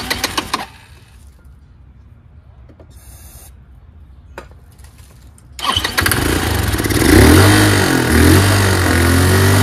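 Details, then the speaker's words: Chinese GY6 150cc scooter with new replacement carburetor, starts only with starting fluid: catches then revs hard and uneven, runs only on throttle and won't idle despite mixture, idle screw and electric choke adjustments; cause unconfirmed. "so it won't idle either and I've messed with the air fuel mixture screw"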